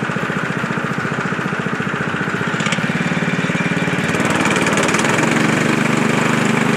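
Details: Frontier OS23 portable sawmill's small petrol engine, started on half choke to warm up, after a bearing repair for a saw blade that was spinning off: even, steady putter picking up slightly as it warms, no knock or rattle; running normally.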